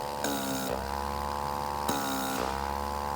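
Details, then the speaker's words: Mimaki 6042 MKII/MKIIe wiper suction pump, line disconnected from the waste tank bottle: a steady humming drone whose tone shifts pitch twice as the inlet is blocked and released. Suction can be felt, so the pump is working and pulling vacuum. "you're hearing a sound similar to that, then we know, hey, our pump's working. I can feel the suction. I can hear the pump change pitch when I prevent air from being sucked into it."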